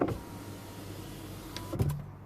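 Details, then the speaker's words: 2004 Peugeot 307, a working window with good switch: even motor whir at steady pitch, then soft clunk as the glass halts; normal power window operation. "and the window will stop then you have the automatic which you you press fully and the window will just come down on its own the same one you close the window will go up on his own"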